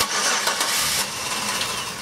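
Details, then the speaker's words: 2005 Chevy Impala 3.4 L (3400) with P0335, hard cold starting needing starting fluid: brief crank and catch then stall within about two seconds; scope shows no camshaft sensor signal, later fixed by repairing wiring and replacing the cam sensor. "there go our start stall you see we have no signal on this at all so our cam sensor signal is also dead that would explain our injection issue that we saw originally"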